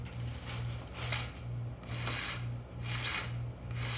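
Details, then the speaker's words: Bicycle rear disc brake, pads worn past the friction material to metal: harsh scraping bursts about once a second as the wheel turns when braking, over a low hum; front brake silent. "You can hear that scraping when I hit the brakes. You don't hear that on the front."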